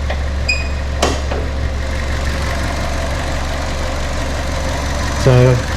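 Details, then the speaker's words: 2009 Ford Ka, a Copart category N salvage car with no service history, inspected on delivery: oil slightly high. A smooth, even low idle hum has no knocks or ticks, only handling clicks nearby. Normal idle. "a new battery at some point idles beautifully"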